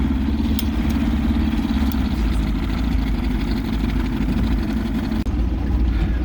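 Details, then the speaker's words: Vintage barn-find boat's outboard on its first run in 20-30 years, idling on the water before the maiden voyage: steady, even low burble with constant pitch, no misses or knocks; normal smooth idle. "so far so good she idles she's running smooth"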